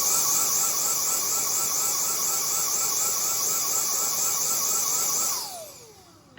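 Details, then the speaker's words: Dyson DC35 vacuum received free: high motor whine pulsing about twice a second, then spinning down and cutting out, sometimes pulsing for less time; sound changes when the bottom piece is straightened, and that piece is suspected. "And then it turns off, right? And sometimes it pulses for less time."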